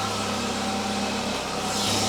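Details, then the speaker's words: Citroen CX GTi at idle on first startup after head gasket work and valve clearance adjustment, running cleanly and evenly with a steady hum, no knocks or misses; normal idle. "The engine is running. That's nice. It's sounding really nicely also."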